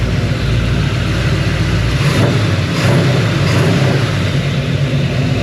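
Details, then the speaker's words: 1941 Ford engine brought in for misfire, vacuum gauge around 16–17 inHg: revs up and settles with an even smooth note, no stumble or skip; mechanic suspects a slight cam, but running is fairly normal. "The way that's running right there is fairly normal."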